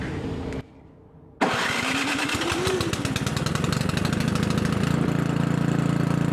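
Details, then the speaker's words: Craftsman 900/22 single-stage snowblower after carb leak checks, choke on, primed: fires after short pause and settles to steady even beat. Normal running. "up all right guys so everything's running good so all we need is just some snow to test drive this guy"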